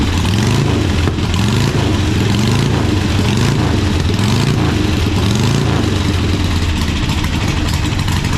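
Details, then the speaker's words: Harley-Davidson Sportster (possibly 1200/Ironhead), bought cheap to see if it runs: loud, uneven V-twin lope with throaty low pulses, firing on both cylinders and settling toward idle; motor sounds good, though oil sprayed over the lift and oil filter found destroyed. "well uh Che cheed himself all over the lift but sounds like a good motor"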